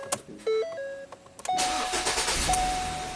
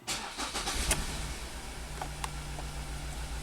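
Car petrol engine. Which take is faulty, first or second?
second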